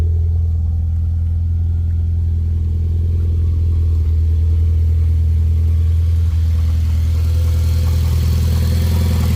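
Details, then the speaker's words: Mitsubishi Lancer Ralliart with hood open, after fixing engine bay ticking/rattle, about 14,000 miles since; steady even low hum with only normal SST dual-clutch chatter, no rattling. "and just your normal SST chatter nothing crazy going on so car is in a very good condition right now I'm happy with it"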